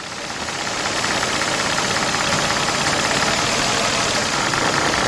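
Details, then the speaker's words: 2004 Nissan Maxima 3.5 V6 idling with an uneven, stumbling beat from a cylinder 6 misfire (P0306); coils being swapped to test whether the misfire follows the coil. "all right there's our misfire guys"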